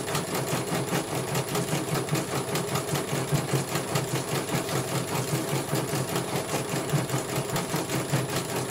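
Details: CNY computerized embroidery machine, brought in because its motor was silent and would not turn, test-stitching after service. Steady, even needle clatter at a constant pace with a smooth motor hum, no grinding or rattle. It completes one color and runs properly.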